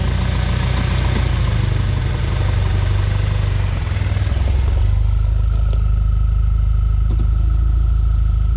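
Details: 2012 B8.5 Audi A4 S tronic/DSG, just over 120k miles: low rattly drone under the car, only in reverse under load, persisting after dual mass flywheel replacement; specialist diagnosed a badly burned clutch caused by a faulty mechatronic unit.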